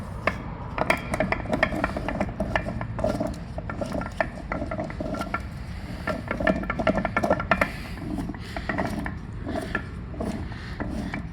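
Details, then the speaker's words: 2016 Lincoln MKX rear differential, removed from vehicle and turned by hand: rough, uneven gritty clicks and scraping each turn; worn, failing differential, replaced with a new unit. "so you know if you get this much noise at a low speed you can imagine at a high speed what it is"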